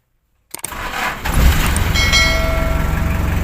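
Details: Car started after topping up water in a refillable battery: short crank, then the engine catches cleanly and settles into a steady, even idle with no misses or knocks; healthy start.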